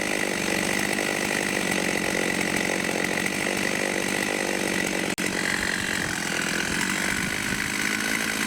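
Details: Vintage 1989 Husqvarna 50 two-stroke chainsaw, sat years with old gas, after carb clean and tune-up: steady, crisp high-revving buzz with even firing and no stumbles or misses; normal running.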